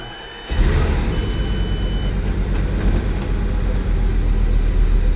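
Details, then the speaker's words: Bugatti Veyron restarting after a home oil service: engine fires into a heavy, uneven low rumble and struggles, misfiring and running on only a couple of cylinders, every dash light on and engine light flashing. "Oh, now it's struggling. Oh, it's now it was misfiring."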